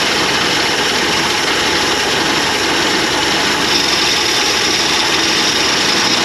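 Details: 1981 Jeep Wagoneer parked 33 years, running: loud steady engine roar with a harsh high whine over it; failing belt-driven accessory bearing (AC belt also runs alternator), spinning but very noisy.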